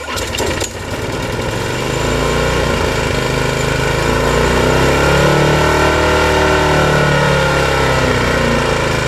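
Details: Walk-behind lawn mower after carburetor, air filter, oil, blade and tank servicing, with a copper wire now acting as the throttle regulator: a steady, even drone at constant speed, partly under music, with no hunting or surging. It runs smoothly.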